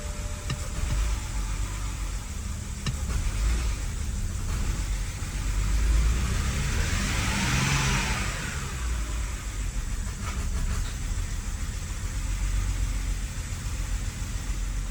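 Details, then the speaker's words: BMW 5 Series, started after many attempts and kept dying out: the engine turns over with a steady chug for a long stretch, then catches and settles into a rough run, burning off oil, with a couple of fault codes showing. Long crank before starting. "It's running. All that oil burning off. So after many attempts, we finally got the car running."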